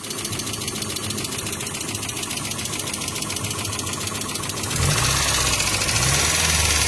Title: What is that noise? 1995 Mazda Miata 1.8